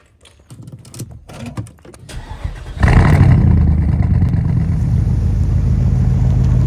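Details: Porsche engine cranks, catches, then settles into an uneven, lumpy idle with a stumbling miss about four times a second. Cylinder 3 misfire (code P0303), diagnosed by swapping ignition components between cylinders to find the faulty part.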